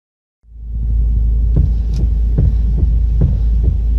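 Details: Car idling with engine humming as steering wheel is rocked back and forth: sharp separate clunks about every half second from play in the steering column universal joint, found worn and broken.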